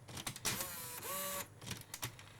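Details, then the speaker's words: Philips P6 tape mechanism in a boxed car cassette radio, after the code was entered and the tape at first seemed not to respond: a few light clicks, then a brief rising motor whir as it draws the tape in and engages. Loads normally. "No way does it just work. You are kidding me. Oh my god. A Philips P6 that just works? Ben spent ages restoring his. It even changes sides."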